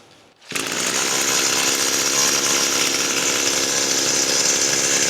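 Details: Echo SRM-225 string trimmer after repair work: crisp two-stroke fires up and holds a steady high buzz with no stumble or cutout; running properly.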